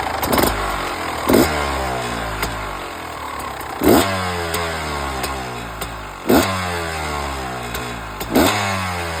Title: Beta 300 RR 2015 rattling noise #beta #beta300rr #2stroke